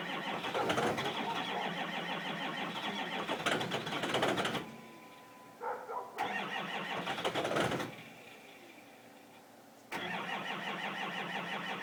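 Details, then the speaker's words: 2005 Ford Powerstroke 6.0 L diesel cold start, block heater plugged in about 5 hours: long bursts of steady cranking over several tries with pauses, no catch; hard start, owner mentions injector check, cause unconfirmed. "Hopefully she goes. Got to go for injector check. And it's not starting right."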